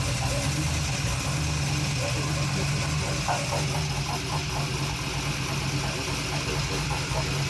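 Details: First start of a junkyard-rebuilt LM7 LS V8 on a test stand with Holley Terminator EFI, no coolant and a fuel leak, for an El Camino swap: smooth, even idle with a steady low rumble, no knocks or misses.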